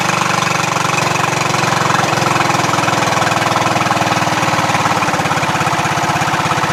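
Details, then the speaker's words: Craftsman LT1000 lawn tractor single-cylinder engine idling after valve adjustment, carburetor adjustment untouched: steady regular thumping beat, no surging or speed hunting; may smoke from penetrating oil; idles smoothly and healthily. "I didn't do anything to the adjustment on the carburetor this is idle it sounds great no surging"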